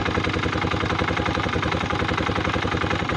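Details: Italika DM 250 motorcycle, about 15 days old, owner was told the noise is normal: fast light ticking about three to four a second on a steady single-cylinder idle; source of the tick unclear.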